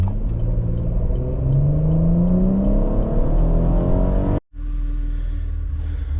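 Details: 3.6 V6 Camaro after its misfire was fixed, doing a 0-60 run with traction control off: pulls hard at full throttle with the note climbing smoothly, then briefly cuts and settles into a steady drone; normal full-throttle acceleration.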